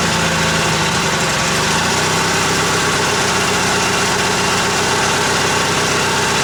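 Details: Old Yardman tractor with 4-speed rear end, owner thinks 1979, first start after sitting 4–5 months over winter, choke out; single-cylinder engine fired right up, steady even idle, no knocks, misses or surging.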